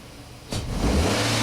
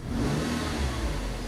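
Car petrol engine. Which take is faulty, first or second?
first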